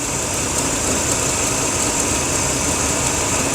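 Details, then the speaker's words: 2004/2005 Dodge Dakota, engine idling: steady hiss with a slightly uneven beat underneath. The EGR tube heats rapidly from 160 to 269 degrees, proving the EGR valve is stuck open and flowing exhaust into the intake despite the scan tool. "Okay, the EGR is positively flowing EGR through it, or it could never heat up that fast. Okay, so we've just proven that the EGR is open and flowing gases into the intake manifold."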